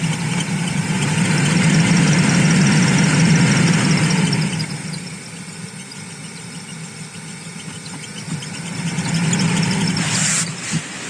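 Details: Toyota Aqua hybrid heater blower running: air rush with thin squeak over fan hum and engine; squeals cold but not hot, blower motor bearings suspected.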